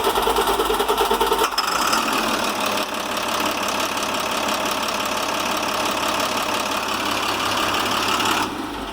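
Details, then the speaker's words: International MaxxForce DT466, 230,000 miles, warm restart after hot no-starts: cranks a second or so, slightly long, then catches into an even, steady diesel idle, a sound warm start. "I think I'm okay with that I mean 230,000 miles cranks a little bit longer than a fresh one but it wasn't horrible I'm okay with that"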